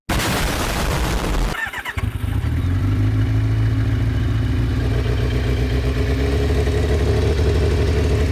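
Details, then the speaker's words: Kawasaki ZX600D motorcycle that went unmaintained over winter and wouldn't start; first start after fitting new spark plugs in place of worn ones. It cranks briefly, catches and settles into a steady, even four-cylinder idle, about one and a half by the owner's estimate; running normally. "it works it freaking works and listen to it hmm oh my god I've got to explain the feeling that I'm getting right now"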